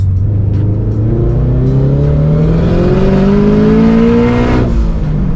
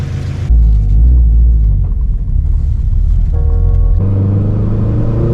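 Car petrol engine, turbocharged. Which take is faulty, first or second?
second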